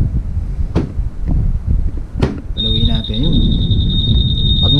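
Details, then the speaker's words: Honda PCX 160 CBS 2021 anti-theft alarm being tested for sensitivity. Thumps as the scooter is bumped or sat on, then a steady high alarm tone holds. Sensitivity is judged too high, and the owner plans to set it to level 3. "Okay, so medyo malakas na yung sensitivity niya, no?"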